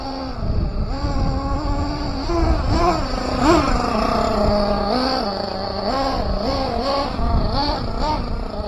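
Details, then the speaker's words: Team Associated MGT nitro truck, untuned engine on its first long run, warming up: pitch wanders as it is blipped and picks up lazily, super sluggish; owner adjusts the low-speed needle. "she's still sluggish but let's warm her up a little bit yeah she is super sluggish she needs to be rich um lean out a little bit"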